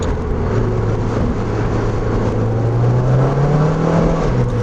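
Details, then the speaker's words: NC Miata with 2.5L engine swap and a rear main seal leak, driving in fourth gear: steady drone under load, then above about 3000 rpm the pitch flares without matching pull; suspected clutch slip. "some some things are going on with the clutch i don't know if you can see that or hear it on the camera or not but it's like the moment i get above 3000 rpms it just like slips or something"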